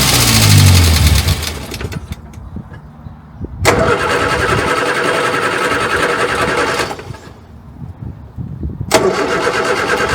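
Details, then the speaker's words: Morris Minor 1000 after a long unused spell, battery-boosted, spark plug just serviced: three cranking bursts with cylinders briefly catching but never running; cranks, no start, though "nearly" there. "Well, nearly. She is trying."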